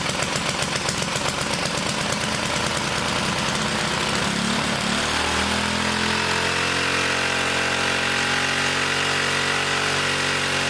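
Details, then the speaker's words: 1959 military single-cylinder engine fed from fuel line in a gas can, carburetor high-speed circuit sprayed out and slightly flooded: revs hard and surges, then races high without settling, as the governor runs wild. "Drop it in some gas and it'll run. But that governor was running wild. And that's through here. It was revving up pretty high."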